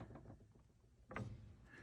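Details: Yamaha C7 grand piano just upgraded to Disklavier, under-piano view: a single dull clunk as the sustain pedal solenoid fires, still clunking mid-adjustment of the solenoid position with a screwdriver.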